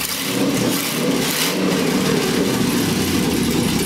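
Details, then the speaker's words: LS1 V8 in a Hupmobile after fixing a huge vacuum leak: smooth idle blipping up and settling back, no hiss, stumble or miss; normal idle and rev. "Sounds a little better. So we go, here we go, huh? Yeah. That sounds good."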